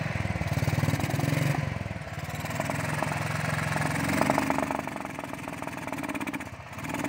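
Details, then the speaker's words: Royal Enfield Thunderbird 350, recently serviced with both spark plugs and air filter changed, misfiring before and after the service: single-cylinder idle runs lumpy and uneven, beats dropping out; misfire fixed by replacing the carburettor butterfly. "हमारे पास यह underworld flat आई है 350 और इसमें दिक्कत है meeting की यह गाड़ी मीटिंग कर रही है"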